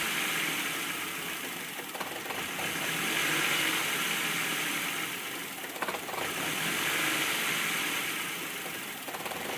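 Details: 1998 Ford Fiesta Zetec 16v on first start: idle swells and sags every few seconds from near stalling to about 2000 rpm, a repeating hunting surge on cold start, cause unknown.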